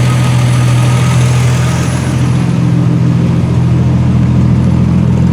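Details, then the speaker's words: 1976 Triumph TR6 idling steadily and quietly with an even, smooth beat and no knocks, ticks or misses; being left to run out of fuel, with a fuel leak at the O-rings; normal healthy idle. "oh yeah this car actually runs pretty well as you can tell very quiet"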